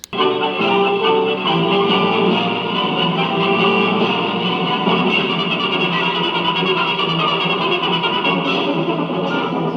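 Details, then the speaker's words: Sharp PF-116 five-tube AM Pagoda radio (Hayakawa Denki) playing music, IF unaligned and tubes unchecked: clear, steady sound, no hum or hiss even in quiet passages; working properly. "Sounds damn good for one of these radios. I mean, the no noise, it sounds good. I mean, you can tell when this music breaks down and there's just no background noise. It's clean."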